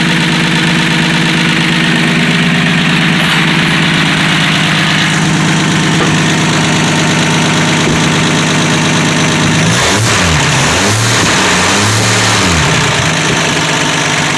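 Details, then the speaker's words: 1965 Dodge Dart 225 cid Slant6 after a cold start, unstarted for a couple of months: loud, smooth, even idle, then several clean revs up and back without stumbling; sounds great, normal. "Well, as you can see, it's running. Sounds great."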